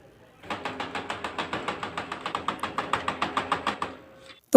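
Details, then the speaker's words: Brother printer while photocopying: sharp regular "cut cut" clicks at about five per second for about 3.5 s; the fix involves removing the drum unit and moving the gear inside the drum unit slot. "और जब brother printer से photo copy करते हैं तो कुछ इस तरह की आवाज आती है।"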